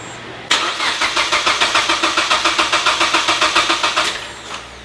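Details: Mazda Miata with swapped 2.5 engine, first start attempt after filling fluids: starter spins it about 3.5 beats a second for several seconds without firing, then stops; owner says timing is right, suspects very low battery.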